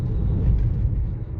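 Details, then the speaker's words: Car interior, windows up, budget RoadX tyres on coarse chip road before Continental CC7 swap: deep steady rumble rising with speed, nothing sharp above it; tyre roar, possibly road surface. "I don't know if you can hear that there's definitely rumbling away there"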